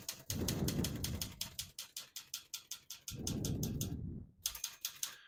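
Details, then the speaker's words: 1973 Olivetti Lettera 32 portable typewriter, margins set at 0 and about 70, single line spacing: sharp key strikes about four a second in uneven bursts, then the margin bell rings near line end; working properly. "Once you hear the bell, you're at the end of the margin. Hit this line space, get you back to the beginning, and skips 1, 2, or 3."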